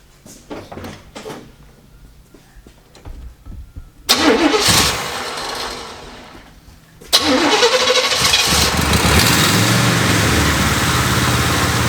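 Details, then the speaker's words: Oldsmobile Cutlass, Rocket 350 V8 with Quadrajet carburetor, warm with the choke held open: it cranks, catches and holds a fast, busy high idle from a massive vacuum leak, too big to be the carburetor-to-intake gasket. "we have a massive vacuum leak of biblical proportions yeah i think it might be the gasket between the carbon the intake"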